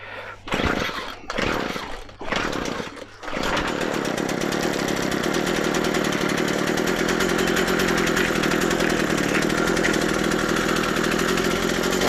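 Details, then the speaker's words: McCulloch MH542 P hedge trimmer after primer bulb replacement, shield off: rough pull-start bursts, then catches and holds a steady even high buzz on half choke; running healthy. "sounds lovely. I'm happy with that."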